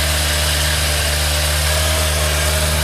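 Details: Thunderace motorcycle after hours of work (carb cleaner sprayed, plug spark checked), finally running: steady, even idle with a smooth low beat and no misfire or stumble; normal idle.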